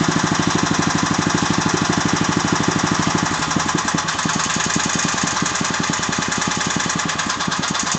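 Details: Agros walk-behind tractor (motoblok) single-cylinder engine running with a sharp, regular knock on every firing beat, especially audible after 1:00; the owner does not know the cause of the engine knock.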